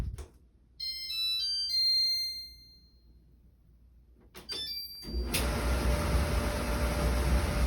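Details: Kenmore Elite dryer after motor replacement, fixed because the drum sped up and slowed down, with drum and belt refitted and tensioned; after a few tones a steady, even whooshing rumble from drum and blower; runs smoothly.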